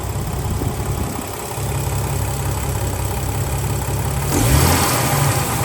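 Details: Warm idle of a 2000 Jeep Cherokee 4.0 after about 20 minutes running: uneven light bottom-end knocking, roughly three a second, swelling with a throttle blip; owner suspects piston slap, which usually fades when warm but persisted, unconfirmed.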